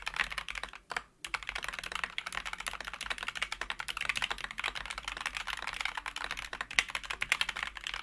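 Dense, even clacking of keystrokes with a soft, muted bottom-out and no scratch or spring ping; smooth linear switches typing cleanly.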